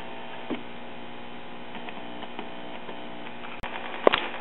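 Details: 1939 Emerson 5-tube AM portable battery tube radio on first test, before repair: steady low hum with no station audio or static, as the primary winding of the first IF transformer is open.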